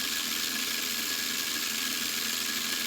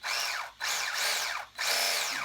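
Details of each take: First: Sweet Tooth RC truck, new motor installed: high harsh whirring buzz with gritty edge, then cuts off; the old pinion with the 72-tooth gear ground and didn't mesh well, replaced by a 21-tooth pinion. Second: RC Sweet Tooth truck after fitting new motor and replacement gear set (old gears didn't fit), motor wires swapped; short bursts of high motor whine rising and falling with throttle, no longer the crack noise of gears rubbing and grinding; normal gear mesh.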